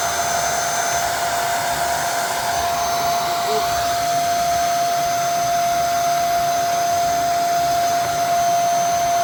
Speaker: Okay, that tells me a lot. That tells me it's all into pieces now. That needs to be cleaned up. And the filter is like that.